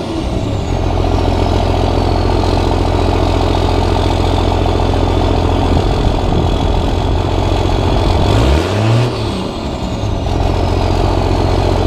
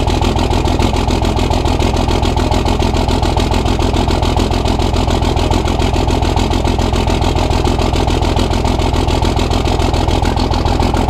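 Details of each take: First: Cummins diesel truck at its first start after five engine upgrades (new injectors, hot rod VP44, Banks intake elbow): deep, steady idle clatter with one quick throttle blip that settles back cleanly; a little black smoke from the tailpipe. Normal diesel idle. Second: Cummins diesel truck at its first start after upgrades: loud, slightly uneven idle with heavy low knocking. A loose fifth injector line was spitting fuel after lines 1, 2 and 4 were tightened. Rough idle from a loose injector line.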